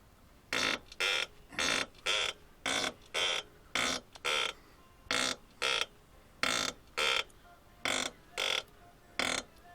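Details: Suspension squeak: sharp high squeak about twice a second in step with each push on the body; source unclear, suspected tie rod end or silent block bushing.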